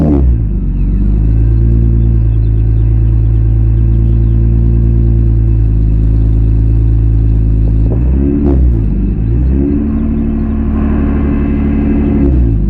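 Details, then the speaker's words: Salvage Nissan 350Z with aftermarket exhaust, gas pedal to the floor: steady low drone, rev attempt surges briefly and falls back without climbing; engine seems held back, like limp mode. "that is gas pedal loo"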